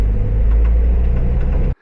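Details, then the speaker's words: Renault Trafic camper diesel while driving: loud rumble with uneven knock from engine/alternator front belt drive; damaged drive belt pulley area, belt later replaced with spare. "But I clearly can't go on with it. It's pretty it's a pretty bad knock. You can probably hear the knock now."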